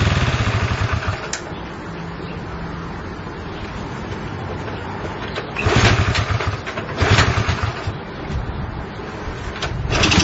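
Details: Honda CL70 small single runs a lumpy, uneven idle, surging with each throttle blip and sagging back, won't settle. Cause suspected, not confirmed.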